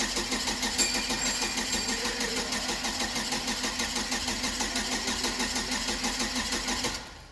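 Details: GM Vortec 2.4 engine in a Hyster S70FT forklift (misfire, no-start complaint): even cranking at about three beats a second for seven seconds that never fires; amp probe shows coil current over 10 A, a shorted ignition coil killing spark.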